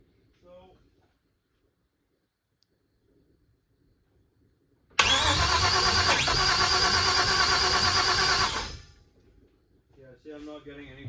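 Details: 1956 Chevy with a twin-turbo LS and Holley Terminator X on its first start attempt: the starter turns it about three times a second for nearly four seconds, never catching. A crank sensor error showed; a faulty crank sensor or timing is suspected.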